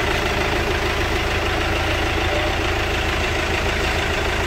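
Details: Chevrolet Captiva diesel after replacing stuck water pump, broken timing belt, timing roller and tensioner: steady, even idle clatter with no misses, knocks or surges; running smoothly and healthy.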